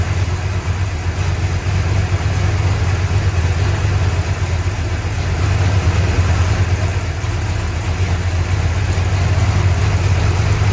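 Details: 1965 Chrysler 300 383 V8 after 17 years sitting in California desert, just revived: loud, deep, uneven lumpy idle with no steady rhythm; smoke from leaked oil burning off, holed radiator; owner suspects timing slightly off.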